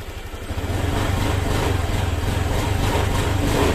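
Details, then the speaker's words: Honda Vario 125 FI scooter after a rough-noise repair, reassembled with the piston set at top dead center. Engine note rises smoothly with throttle, no rattles or knocks. Normal revving: smooth and responsive. "oke oke teman-teman hasil akhirnya halus ya ahah halus teman-teman"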